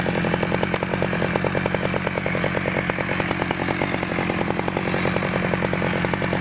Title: 009L 1991 stihl startup after rebuild